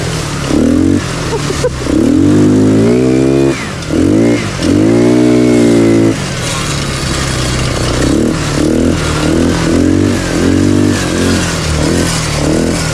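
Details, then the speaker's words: Quad CRZ 150 on its first ride, stock, air screw just adjusted: small single revving up and down with an uneven buzzy rattle over the note; the exhaust has worked loose at the cylinder head and moves. "on entend des BR bizarres un truc en train de se barrer moi je pense qu'on pe je regarder ah ben c'est le PO qui bouge en fait le pot qui bouge"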